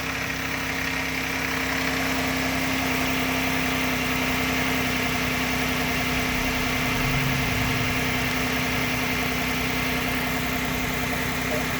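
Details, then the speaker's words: About 1998 Nissan Maxima, sitting a long time, just jump-started from a dead battery: light quick ticking about four per second over a steady idle, lifters tapping until oil reached the top end. "it took time for the oil to pump through and get up to the lifter and that's what that little tapping rattle from the engine was"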